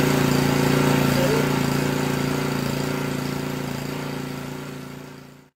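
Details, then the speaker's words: Honda GCV 160-190 engine on a Generac pressure washer, running unloaded near full throttle after valve adjustment, no idle-down; steady even note with only faint slight surge, normal for no load; runs smoothly. "This is trying to run at full throttle most of the time. There's no idle down, there's really no idle per se, so don't worry so much about surging."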